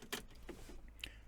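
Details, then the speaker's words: Audi A2 1.4 16V 75 hp AUA petrol engine, key-on after fuel filter replacement, car unused 8 years, tank low on fuel: short quiet steady electric whir as fuel pump primes, then stops; normal priming repeated before starting. "once you can hear the fuel pump pumping and now it's stopped and i will do this again you hear the fuel pump and now it's stopped"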